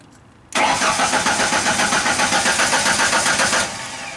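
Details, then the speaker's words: Genie construction lift cranking after its power relay was triggered with a test light: even starter cranking about four beats a second for three seconds, never catching. Cranks but will not start. "still nothing I thought it would actually fire up computers plugged in everything's plugged in this thing is a real pain"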